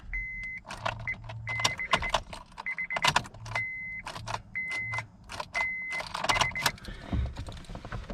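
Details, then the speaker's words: 2006 Honda Accord LX, manual (foot on clutch), charged battery, good fuses, relay swapped: key turn and dash chime but no cranking; starter motor failed (bad cables also considered), replaced with new starter. "I don't think I need to go me I think I did hear it [Music] click all right so I think it's going to be the starter or maybe we have bad cables"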